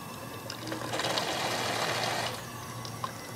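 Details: Steam injector overflow with the water valve too restricted; rushing, spitting hiss of water that swells then eases as flow splashes at the overflow; over-restricted water valve.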